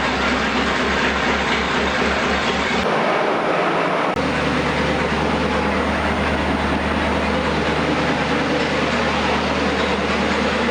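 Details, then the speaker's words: Newly rebuilt 239 Flathead Ford, run-tested on an engine stand at about 1000 rpm with about 60 psi oil pressure: loud, even idle with a steady low rumble, no knocks or misses; normal idle. "it fired up we're sitting here Island uh about a thousand RPM the oil pressure about 60 pounds everything's looking good"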